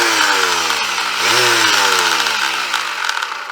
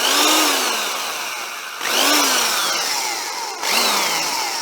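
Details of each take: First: Vintage double-insulated electric sander that passed the tester: a buzzy whirring motor with a coarse rattle, pitch swelling then sagging as it winds down. Runs a bit rough but still works. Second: Vintage double-insulated Black & Decker electric drill after its cord checked okay: three short runs, each a clean motor whine spinning up then winding down smoothly. Passes and sounds better than expected; healthy.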